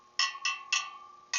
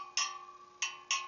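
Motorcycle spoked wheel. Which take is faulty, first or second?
second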